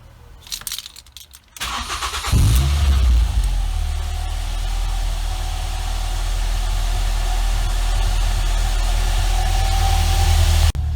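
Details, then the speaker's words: Mk6 Ford Fiesta ST150 petrol after a full service and fuel filter change, with ignition cycled twice to prime the fuel pump: short crank, then it starts straight away and idles smoothly with no knocks or misses. "Did that twice and it started pretty much straight away, and as you can hear it's running fine now."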